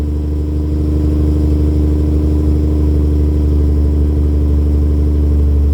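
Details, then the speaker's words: 1989 Jaguar XJS V12 after fitting straight-through stainless mid pipes and new gearbox mount: smooth even idle with deep steady drone and clean exhaust note, no knocks or misses; healthy. "Yes, that sound up at 4,000-5,000 is exactly what I wanted it to sound like. That's brilliant."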